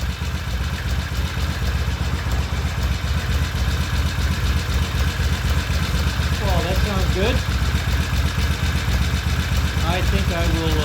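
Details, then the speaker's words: 1974 Norton 850 Commando twin, brought in as a no-start with a dead battery, after full battery charge: ticks over evenly at about four beats a second with a steady low exhaust note; idles cleanly. "so I will set the camera up and start the bike and you'll be able to see it uh running in just a moment"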